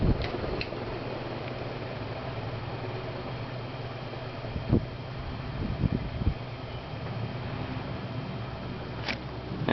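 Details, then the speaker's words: 1990 SMC Laguna 36" ceiling fan after first cleaning and oiling in 25 years: steady low hum with smooth, even whoosh on medium and a few faint clicks; runs well, though it shakes and needs balancing. "now it runs really well after good cleaning and oiling and it's extremely powerful my goodness I'll start it up on high yeah it's quite powerful it shakes a little bit so it needs to be balanced"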